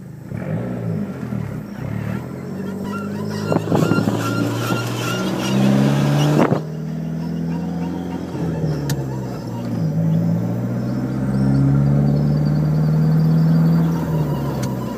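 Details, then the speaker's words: SRT-4 driving, weeks after new Prothane front LCA bushings, ES sway bar end link bushings and Moog ball joints: rhythmic front noise with violent clicking when turning right, gone when turning left. Pop felt through the pedals; owner suspects wheel bearing. Front squeak and click when turning. "Turn to the left, and it goes away. Correct it, and it comes back. Turn to the right, and it's really fucking violent. It's like a clicking, too."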